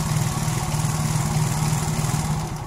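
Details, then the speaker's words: Yamaha Mio-type scooter: fast, steady idle well above normal tickover because the throttle body idle plunger is screwed in too far; fix is backing it out to about 1–1.5 mm gap. "Nah ini tidak mati ya ini untuk langsamnya terlalu tinggi Oke Paham ya seperti itu"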